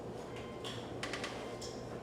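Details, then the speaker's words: 2006 Subaru Outback 3.0 H6, 10-15 years old, won't start; lights and windows work, jump pack attached: key gives only faint quick clicks, no cranking; failed starter motor. "Click, click, click. Okay. Uh-oh. So it's the starter."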